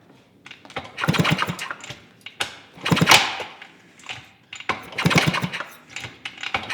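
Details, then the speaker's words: 1971 Yamaha AT-1 125cc two-stroke, kicks after regapping the spark plug: three separate bursts of cranking with no firing or catching; still no spark, so the cause will be checked next. "Well, we didn't get spark, so our next thing is to see why."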